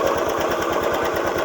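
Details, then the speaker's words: Old Honda Beat FI scooter after replacing worn roller housing: fast, steady clacking at the front of the CVT side while running, reduced from before; slight crankshaft end play, engine split needed to re-center crankshaft. "Ini ada sedikit ngegol teman-teman pada bagian asrek. Jadi nggak begitu parah, tapi sedikit, karena motor ini dulu"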